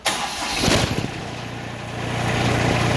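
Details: Kubota ZD28 diesel mower after ignition switch and starter relay issues, with original switch refitted: brief crank catches at once and settles into steady even idle; starts normally and stop solenoid works.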